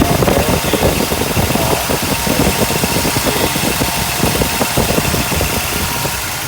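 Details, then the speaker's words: Mercedes 380SL idling in the shop the day after freon was added, AC off: even petrol idle with a light regular mechanical patter, no miss or knock; engine running healthy. "she's running just fine sounds good right now AC is off"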